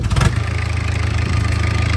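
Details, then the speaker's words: 1984 Mazda B2200, 2.2L Perkins diesel, unused since 1998, starter jumped by wire after the glow plug light goes out: short crank, catches at once and settles into an even, steady idle with no misses or knocks. "once you tie those two together you'll get your orange glow plug light and and once that goes out it's ready to start and what dad's going to do he's going to touch this to that wire there which will jump to the starter"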